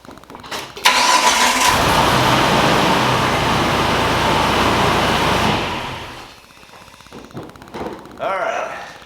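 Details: Jeep TJ with a new starter that only clicked, during troubleshooting of the wiring with the fuse panels disconnected: brief crank, then it catches at once into a steady, even run; a clean start.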